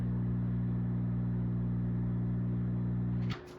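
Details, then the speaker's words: Zaxxon arcade cabinet with repaired monitor, powered on: low, steady fixed-pitch buzzing hum that cuts out at switch-off; persists after checks, source not found. "Still has the hum. Don't know where it's coming from. Just don't know."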